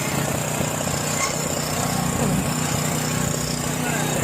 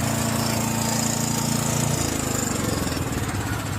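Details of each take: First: John Deere 6200-watt portable generator, dry-stored four years since Hurricane Ian, old fuel left in carburetor turned to varnish; just started on half choke: catches, then uneven, surging beat; rough running from varnished carburetor, possibly low fuel. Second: John Deere 6200 portable generator, stored four years with old fuel varnishing the carburetor, after replacing the carburetor with new gaskets: steady, even speed with a constant buzz, no misses or surging; normal running.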